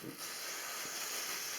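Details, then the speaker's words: Home heating radiator being bled once the heating is switched on and pressurised, bleed screw loosened slightly with a sealed bag over it to catch water; steady high, airy hiss as trapped air escapes, air purging. "Mais quand je vais allumer, il va y avoir de la pression."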